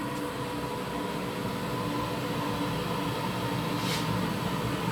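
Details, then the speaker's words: Wall-mounted gas boiler at full power in heating mode with the circulation pump on third (maximum) speed: steady, even fan and pump hum with no whistle, normal even with the door open. At first speed the noise appeared, attributed to coolant flow and air bubbles in the new heat exchanger. "максимальная котел работает в нормальном режиме даже с открытой дверцей у него звук совершенно нормальный"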